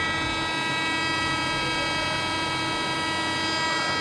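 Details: Hydraulic pump, pressure raised from zero: a steady high whine with constant pitch and no load changes; the pump's pressure setting needs adjusting via the grub screw under the cap.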